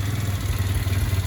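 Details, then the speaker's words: Chinese quad (2-stroke oil put in cylinder) that sat in a barn at least 3 years, started after restoring spark and fitting starter solenoid; steady even single-cylinder putter at idle, no misses or knocking; normal idle, runs great. "Listen to this thing purr. Sitting for, I think, at least 3 years, he said. It was at least 3 years."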